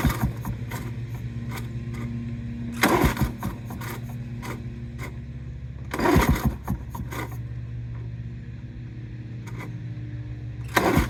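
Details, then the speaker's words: Lawn-Boy 8073B two-stroke mower after sitting for a long time: repeated pull-start bursts every few seconds but it never catches; harder to start than ever, cause unclear. "Spring up, it sounds like. It's never been this hard to start."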